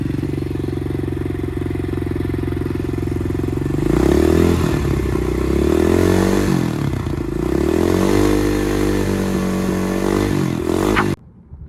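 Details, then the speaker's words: Apollo RXF 125 dirt bike with the new exhaust: steady buzzing idle, then three clean throttle blips rising and falling evenly without rattle or misfire; reads 75 dB revving, 20 dB less than the old pipe; healthy. "Bon, finalement c'est une bonne nouvelle les gars, avec le nouveau pot, la moto fait 75 décibels même en accélérant."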